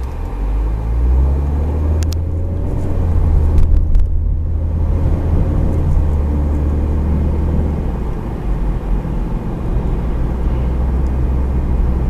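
Deep, steady droning hum under the road noise while cruising, holding on without a clear beat: a typical worn wheel bearing.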